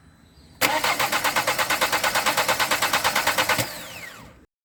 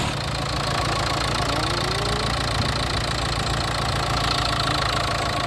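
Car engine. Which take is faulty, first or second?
first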